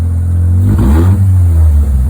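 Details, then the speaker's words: Mazda 13B rotary engine in a Willys Jeep with FiTech EFI, after raising fuel (fast accel to 50, accel pump back to 29) to cure tip-in stumble; quick throttle blip rises and falls with a brief bobble, then settles straight to steady idle without hunting, normal. "but it comes back down and it doesn't seem to struggle to to find idle again"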